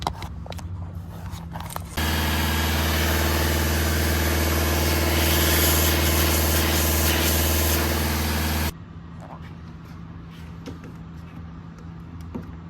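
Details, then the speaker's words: Alfa Romeo 159 diesel with a recently replaced turbo, held at raised revs: loud steady rushing hiss over the engine drone as boost air escapes; the car was losing boost and the cause was found to be a split boost pipe. "so it looks like I've got a bit lucky here there you go there's your problem split boost pipe"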